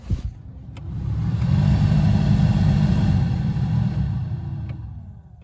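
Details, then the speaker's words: 2001 Dodge Dakota 4.7 V8 after replacing the failed blower motor resistor (heater had worked on only one setting); smooth low whoosh swelling through each fan speed then easing off; blower working properly on all settings. "Okay, we have a fully functioning heater now."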